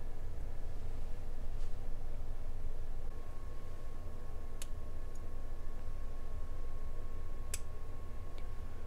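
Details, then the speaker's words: REL HT/1205 class D sub amplifier stuck in standby, after capacitor replacement: over a steady low hum a crisp relay click as the status LED goes red to white; relay engages normally, repaired. "The status LED transitioned from red to white. It stayed white and we can hear the relay engage."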